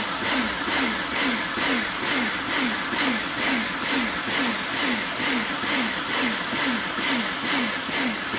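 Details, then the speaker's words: Kärcher pressure washer rebuilt from a B202 and a K2 14, retested after swapping the switch: motor surges and drops about twice a second while spraying, cycling on and off under load; owner suspects a valve, unconfirmed. "if you know why it's making that pulsing noise let me know not that one the one when it's moving it seems to be going on and off and on and off could be something to do with that valve"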